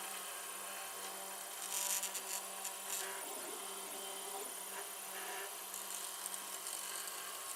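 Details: 3D printer on a long print of an LVDS controller box: steady whirring with faint low tone and scratchy rubbing bursts; owner suspects linear bearings or small fans.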